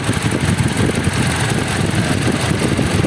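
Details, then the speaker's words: 2013 Toyota Fortuner idling with AC off after a DIY fuel filter replacement: steady low idle rumble, smooth and even with no misses, knocks or ticking; engine quiet and running fine. "Yan yung DIY. Palit tayo nito. Fuel filter na yan. So okay naman, matining naman yung makina."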